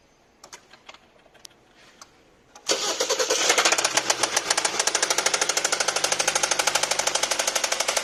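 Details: 2021 Hyundai Sonata with only 6,955 km: after cranking and starting, a quick, steady, evenly spaced ticking knock runs through the idle, clearly above the engine note.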